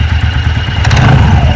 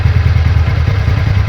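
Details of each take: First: TVS Ntorq 125 BS6 scooter with sound and pickup problem, idling and revved with CVT cover open: uneven low flapping thump under the engine note, brief clatter on revving, belt moving in and out. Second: TVS Ntorq 125 BS6 scooter idling after repair: steady low putter, even firing, no rattle or knock from the drive; normal healthy idle, problem solved.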